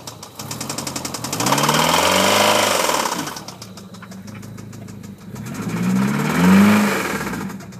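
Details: 1997 Eclipse GST: uneven knocking under the engine note that rises and falls with revs; internal knock, owner asks what causes it.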